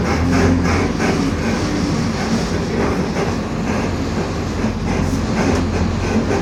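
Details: 2021 Marcopolo Torino S bus on Mercedes-Benz OF-1721 BlueTec 5 chassis, driving: steady continuous low droning growl with road rumble; growling differential.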